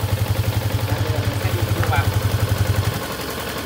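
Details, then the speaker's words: Yamaha Exciter 150 after fixing the clutch (nồi) clack noise, exhaust blocked: steady, even low thumping idle at about four pulses a second with no clutch clatter; normal idle. "Đấy các bạn nghe không? Êm ru luôn. Không còn nghe một cái tiếng gì nữa luôn."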